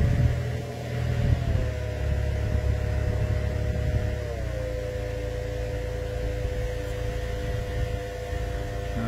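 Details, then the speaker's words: Blower motor drawing about 13 amps, high then stepped down: steady hum with whine dropping a notch per speed; bad segments and a bearing that just made it, blower motor and cabin filter need replacing, resistor and speed control fine. "so needs a blower motor and a cabin filter"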